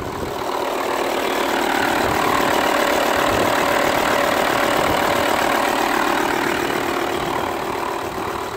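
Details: VW Touareg after replacing noisy air-conditioning compressor and pulley, controlled start before recharging A/C: steady, even idle with smooth mid-pitched hum, no rattle or whine from front accessories; noise gone.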